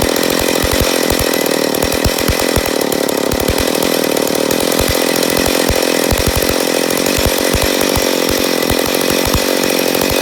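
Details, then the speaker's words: McCulloch Pro Mac 850 chainsaw, first start after a rebuild, with fuel/air mixture being adjusted: high, raspy two-stroke buzz with irregular pops and surging. Owner suspects an air leak on the flywheel side. Unsteady running. "there's a first fire so I know we got a little bit of air leak I'm a guess on the flywheel side"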